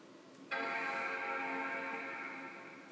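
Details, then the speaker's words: MacBook Pro that was dropped on the floor. One clean startup chime of about 2.5 s and the rear Apple logo lights, but the screen stays black: it powers on with no display. "sound it looks like open up we see the logo is not turn it on it beeps it make it the sound it looks like it open"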